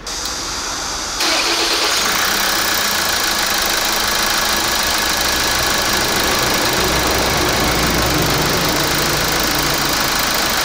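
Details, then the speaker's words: Kia Grand Carnival R diesel engine at start-up: diesel clatter with a sharp, fast intermittent clacking on top; heavily carbon-clogged intake manifold with sticking swirl valve, motor gear stripping also suspected; cleaned to fix. "뭐 소리 났죠? 딱딱딱딱딱딱딱딱 하죠? 이 소리가 납니다. 신기한 차입니다."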